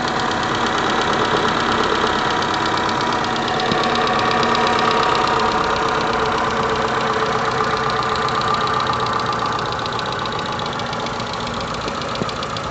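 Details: 2008 Renault Megane 2 with K4M engine at idle: fast, fairly regular light knocking about four taps a second over steady idle, origin unknown; owner says the sound came first from the left, then slightly right, then disappeared.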